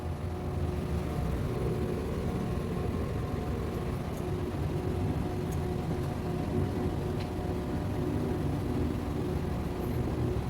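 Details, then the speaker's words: Digital microwave after the shorted high-voltage diode was replaced, heating popcorn with the turntable turning: steady low hum with no buzzing, crackling or the former loud drone, running evenly and heating again. "Ibig sabihin gumagan na siya umiinit na yung inilalagay dito pwede na uli siyang gamitin ng may-ari"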